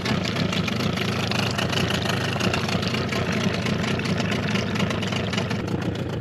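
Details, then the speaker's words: Suzuki DT 9.9 (15) two-stroke outboard, new, first start after over a year unstarted since factory check, cold: buzzy uneven idle hunting between 650 and 850 rpm before five-minute warm-up; cause unclear. "So far, it is not clear what is happening with the turnover. Turnovers from 650 to 850."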